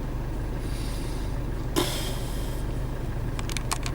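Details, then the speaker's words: Land Rover Freelander 2 engine idling after not being run for six or seven months; low, smooth, even rumble with no knock or tick, only a short hiss and clicks; gearbox and clutch due for replacement. Normal idle. "the engine sounds good although he's not been run for six seven months the engine sounds really really good"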